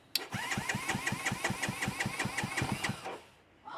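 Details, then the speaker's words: ZS212 Grom-clone motorcycle just fitted with a Nibbi PE28 carb replacing the Keihin copy, choke off, fuel on, in neutral: starter cranks steadily about 160 beats a minute for three seconds without firing, carb float bowl still empty. "Carb bowl's empty. Might take a minute."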